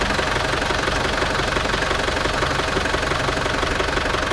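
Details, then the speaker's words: Land Rover Defender 300TDI diesel idling evenly with no squeal after WD-40 was sprayed on the alternator, whose loose roller bearing the owner thinks caused the squeaky noise. "So basically I'm not sure why, but the roller bearing is actually loose, and then it's creating that noises. So it's gone now, just using this."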